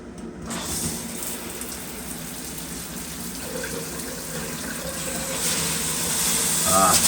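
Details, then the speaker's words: Condo plumbing with sudden brown water in all faucets, possibly after unannounced water main work: running water spits and surges unevenly, about three bursts a second, with hissing gushes; air in the line suspected, no dirt heard. "the air in the line. I don't hear the dirt or see the dirt."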